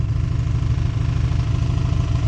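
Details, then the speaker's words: 1994 Chrysler Town & Country 3.8 just revived after sitting in a junkyard since 2021: low, fast, steady rattle over a deep idle, no single knock; owner doubts bottom end, suspects a lifter, head gasket also suspected. "But I also think that that rattling might be something else. I don't know if that's necessarily bottom end. Is that a lifter?"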